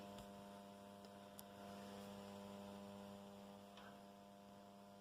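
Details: Restored Condor RM820S radio cassette player, first power-up after repair, gives a constant low buzz with steady overtones; strong mains hum in the audio stage.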